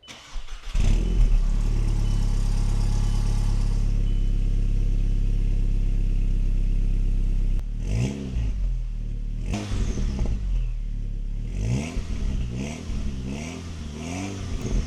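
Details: VW Golf GTI Mk5 starting up after the water pump O-rings were replaced and the ECU refitted. Quick clean catch into a smooth steady idle, then several crisp blips that rise and fall evenly. Engine healthy.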